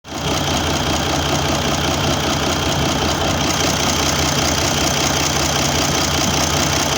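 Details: Mercedes OM401 diesel, start of the search for the cause of a dull engine knock. Loud steady clatter with a dull, roughly regular knock, about two or three a second, underneath. Source still undetermined.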